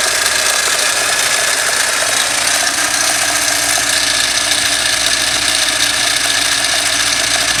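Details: Toyota 5A-FE engine: steady idle with a light, fast ticking clatter from the front; knock from play in the crankshaft gear key behind the pulley.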